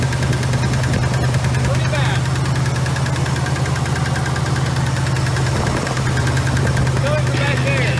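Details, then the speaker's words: 454 V8 in a Chevy C30 crew cab dually squarebody: sharp regular tick about three per second over rough idle, suspected top-end/valvetrain knock; plugs to be unplugged to isolate it, cause unconfirmed. "What I'm going to do is start unplugging plugs to see if it'll kind of clear out that knock noise."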